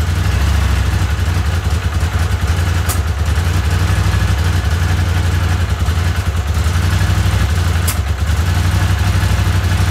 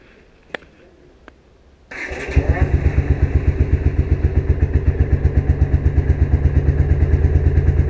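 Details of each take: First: Honda CX500 V-twin with replacement carburetors, idling low and lumpy with occasional sharp puffs from a vacuum leak at a poorly sealed carburetor-to-intake joint. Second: Vintage Honda CX500 twin after carburetor and ignition repairs starts after two faint clicks and settles into an even, steady idle thump; an intermittent popping, suspected vacuum leak, remains.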